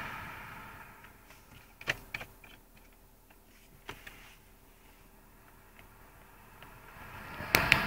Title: E46 weird noise coming from the air vents